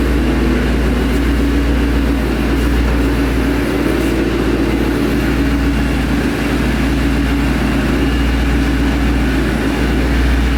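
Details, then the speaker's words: 2011 Mustang GT V8 with newly installed Paxton Novi 2200 SL supercharger on a base tune, first startup, warming up: deep, steady idle with even beat, no misses, ticks or knocks; sounds super healthy. "that right there ladies and gentlemen is such a good sign the car sounds super healthy and you know for the bass tune it's actually doing really well"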